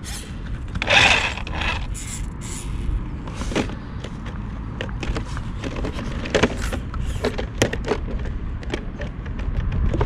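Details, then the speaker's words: HB Toys ZP1003/ZP1004 cheap RC crawler driven outdoors on stock bouncy suspension: irregular plastic clicks and brief scrapes as tyres catch the arches and the body shell rattles; raising the front body one notch helped a little, and trimming the arches is suggested. "with that suspension it's very bouncy and the body is very rattly it sounds like the tires are rubbing on it as well so"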